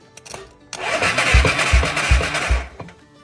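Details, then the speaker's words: 1996 Yamaha Moto 4 ATV whose starter solenoid is hard to reach under the plastics. Touching a loose wire hanging by the light gives a click, then a steady churning crank with even low thumps about twice a second; a starter solenoid circuit fault. "But I was under here looking at this wiring trying to find a way to get to the starter selenoid. Right? I don't see any easy way to get to it. Then I found this. If you look up in here by this light, this wire hanging down, look what happens."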